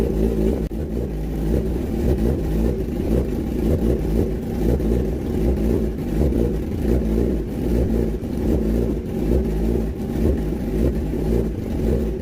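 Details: Kawasaki ZX10R four-cylinder after cylinder 3 valve repair (compression 172) and cleaning of all 8 injectors, coolant not yet added: full even exhaust note with throttle blips, no misfire; starts and runs normally.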